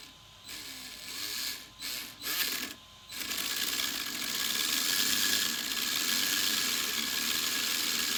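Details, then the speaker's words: Sweet Tooth RC truck, new motor installed: stuttering bursts then steady raspy high whir; previously the pinion with the 72-tooth gear ground without good contact, replaced with a 21-tooth pinion. "this gear right here has a 72th gear and when it was in the car when i was in and it was just grinding it wasn't making a good contact and it it was not exactly that good"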